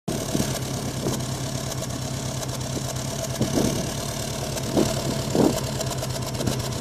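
Cold engine idles with an uneven, lumpy beat and occasional louder stumbles over the steady hum; a rough cold idle.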